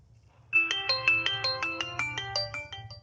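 A clear, bright ringtone melody plays loudly and cleanly without crackle or distortion; the phone's loudspeaker is working properly.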